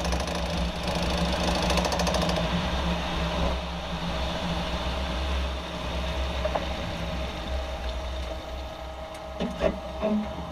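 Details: 2014 Jeep Wrangler JK: low, uneven drivetrain rumble with loose, irregular knocks and a few sharper thuds near the end; rear driveshaft suspected, cause undetermined.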